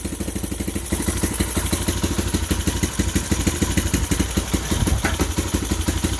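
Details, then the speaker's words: 2015 Bashan Storm 250 first run on choke with a booster box: even steady thumping idle at a fast tick, no clacking or tapping from the engine; exhaust sounds healthy. "i don't hear no clacking from the engine sounds good sounds nice and healthy from the exhaust"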